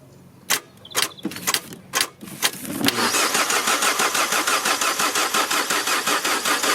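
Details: 2008 Peugeot 207 1.4 petrol with fault P11A8 that stopped and won't restart, cranked on a booster with a very weak battery: a few clicks, then uneven cranking at about two beats a second that never fires; engine ECU later found soaked in water.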